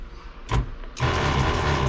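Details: Pump after its power screw was turned up to a higher pressure setting: a short burst, then an even low hum for about a second as it runs strongly and steadily. Normal pump running.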